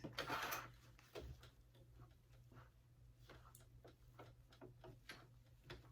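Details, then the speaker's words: Sewing machine at 2.5 stitch length going back over waterproof canvas layers of a Harlequin wristlet: quiet, uneven needle ticks about twice a second with heavy pauses, labouring through the thickness; sewer suspects presser foot pressure, more pressure then helped. "And it's struggling to get through it, so I'm going to lessen the presser foot, or maybe I need more pressure."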